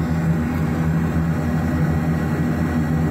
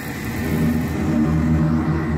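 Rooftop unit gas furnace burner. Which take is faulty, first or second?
first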